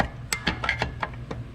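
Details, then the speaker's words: 3rd-gen Camaro rear drum brake being adjusted: a handful of sharp light clicks, about six in under two seconds, as the star wheel ratchets counterclockwise; adjuster turning the correct way. Turning it the wrong way gives spring racket instead. "That bad boy's clicking, isn't it? So that's the way it's supposed to go. It's supposed to go counterclockwise versus clockwise."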